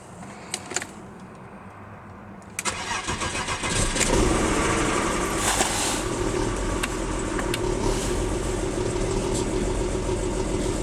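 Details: 1994 BMW 325i cranking and settling into an uneven, lumpy idle after a cold start at about 45°F; worse in drive, rough acceleration; owner will check vacuum lines, spark plugs and coil packs.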